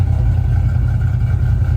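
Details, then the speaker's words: 2005 Ford Mustang GT 4.6 3V after replacing spark plugs and coils for a misfire, with O2 and camshaft position sensor codes still showing: steady, even low idle rumble with no stumble; sounds a lot better, normal idle. "Okay, guys, well, you heard it. Sounds a lot better. It kind of is called idle, a little"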